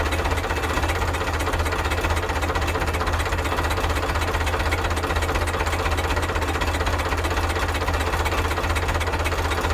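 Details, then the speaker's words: 1975 Case 680CK backhoe diesel, first start after long storage: runs with heavy uneven thumps and stumbles at low speed because the backhoe throttle was accidentally pulled back; rough running from throttle set too low. "that did not sound right okay so at least it started now I got to do I got to figure out why it was running like that"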